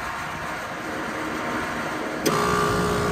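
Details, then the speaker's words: Trane Varitrac rooftop unit not cooling, circuit two compressor started from the interface; circuit one compressor would not start. Steady airy rush, then a clunk as it kicks in with a harsh, strained hum. Works but sounds horrible; noisy compressor. "okay so circuit two compressor works sounds absolutely horrible but it works"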